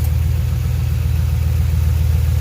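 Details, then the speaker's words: 2006 Ford F150 V8 with multiple misfires from a vacuum leak; with the leaking vacuum hose blocked off, deep steady rumble at idle, even with no miss; normal idle. "pero si tomamos esta manguera amigos y la tapamos qué tal parejito parejito"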